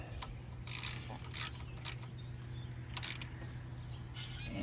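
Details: 1999 Chevy Silverado 1500 4.8 V8, pulley spun by hand during water pump and pulley job: quiet, even whir with no grinding, rumble or roughness; pulley bearing sounds good.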